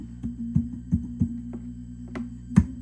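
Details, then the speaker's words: Fender Hot Rod Deluxe III tube guitar amp on the bench: steady low underlying hum with a thin high whistle over it and some handling knocks, caused by worn, shot preamp tubes. "you do have some underlying hum in the background due to these guys you could hear this whistling sound it's these"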